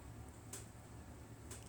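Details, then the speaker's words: Englander NC30 wood stove heating up from cold: two sharp metallic ticks about a second apart in a quiet room. This is normal expansion ticking as heat reaches the stove exterior. "as you hear the tinking sound or the crackling sound in the stove, you know it's starting to heat up."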